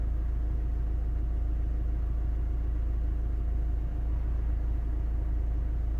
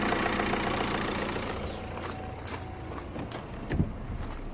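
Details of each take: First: 2012 Opel Astra J diesel (listed as both 2.0 and 1.7 CDTi) with P2004 manifold runner control code. Engine idling while the intake swirl flaps are commanded open and closed by scan tool: no valve feedback, and the steady diesel hum does not change in tone or speed. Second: 2012 Opel Astra J diesel (listed as both 2.0 and 1.7 CDTi) with no power, check-engine light and P2004 code (swirl flaps/manifold runner control stuck open). Running after the manifold repair, before rescanning: an even, steady diesel clatter with no misfire or knock. Normal idle.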